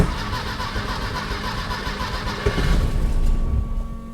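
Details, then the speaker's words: 1968 VW Type 3 after master cylinder and rear brake soft line replacement, timing backed off 2–3 degrees: labored, uneven slow cranking for a couple of seconds before catching; fuel pump clearly audible; slow cranking start. "she's slow starting I don't have pick up my mic but you can really hear that fuel pump now"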